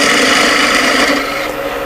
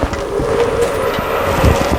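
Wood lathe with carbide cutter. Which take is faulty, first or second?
second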